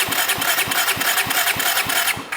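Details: Auction Honda motorcycle engine cranking on the starter: even, steady pulses about four per second, no misses or hiss; compression tests around 150–170 psi, healthy and even.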